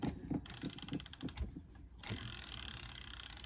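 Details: MiRider One e-bike after rear brake caliper rebuild, new ceramic pads and cable adjustment: irregular light ticking as rear wheel coasts down, no rubbing or scraping from the brake; wheel spins freely.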